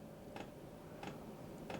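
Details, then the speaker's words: 12V diesel heater starting at lowest heat setting level 1 on a 10 A DC power station output, drawing about 120 watts: soft, even ticks about every two-thirds of a second over a quiet hum, fuel pump metering normally. "Okay, I can hear it ticking now. We haven't gotten above 120 watts so far."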